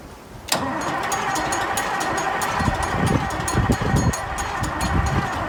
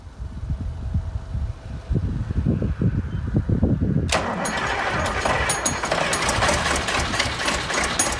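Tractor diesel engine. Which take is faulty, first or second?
first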